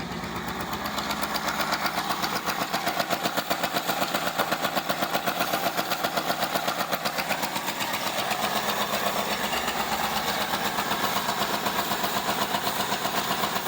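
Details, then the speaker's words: Neglected 1975 Ford Granada V8, idle turned up, on choke: rough stumbling idle around four beats a second with steady hiss, engine shaking and still missing, no accelerator pump, little smoke; EGR gasket gone; cause unconfirmed. "Everything's shaking. Oh, we're better now. Cleared out. Oop. No accelerator pump. Still missing. Not a lot of smoke though."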